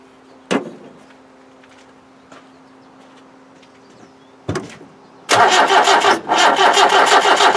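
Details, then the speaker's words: 1991 ex-MOD Land Rover Defender 90, 2.5 naturally aspirated diesel non-runner, cranked steadily on starting spray with cold start doubtful: a couple of bangs, then it never fires. From the sound the timing belt isn't snapped; reversed ignition-switch wiring is being considered. "what not even a bang I don't know what's wrong with it hmm it's obviously from the sound of it it's not the timing belt snapped"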